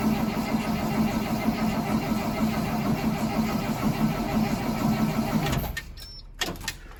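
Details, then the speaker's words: 2003 Blue Bird bus, International DT466E diesel, cold start at 11°F, not plugged in, unrun for about a week, after ether: steady rhythmic cranking about three turns a second for five seconds, no catch, then stops; cold no-start. "Looks like we're gonna have to give her another little snort here. We almost had her."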